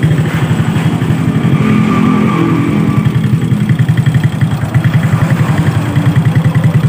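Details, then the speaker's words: Honda Supra motorbike with oil not reaching the top end, exhaust just a bare pipe: loud, uneven, stumbling putter about 3.5 beats per second. Engine smokes and backfires into the carburetor; damage from oil starvation. "jadi barangkali teman-teman sudah jelas yaitu motornya seperti itu pertama ngebul kedua Brebek parah nembak-nembak"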